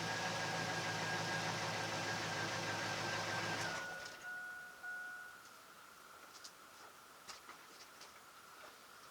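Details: 2001 Chevy Silverado C1500 Z71, test start after replacing the fuel pump (third time), pump grounded with an alligator clip: engine catches and runs smooth and even for a few seconds before shutting off; healthy, no misses.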